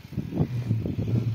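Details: Acros 22 kg top-load washer, powered on: motor drones with a low pulsing hum but agitator doesn't turn and is hard to rotate by hand; damaged, seized transmission needing replacement.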